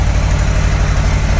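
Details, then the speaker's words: 2018 Harley-Davidson FXLR Low Rider V-twin idling on factory mufflers: deep, muffled, even lope with steady low pulses, no knocks or rattles; very subdued sound, healthy idle. "So as you see, that's the factory mufflers on it. Very subdued in the sound."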